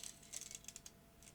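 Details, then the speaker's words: Maxell BetacamSP tape leader peeled by hand after a manual eject: faint, irregular crackly ticks with no motor hum; the leader's binder has gone sticky and glued itself together, a suspected manufacturing defect. "you can hear it it's gone sticky this whole piece of leader tape has gone sticky and was gluing itself together"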